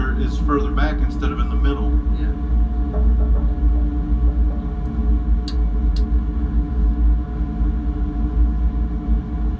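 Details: Gear reducer running with a steady low hum, broken by sharp intermittent clicks about half a second apart, heard at several points during operation.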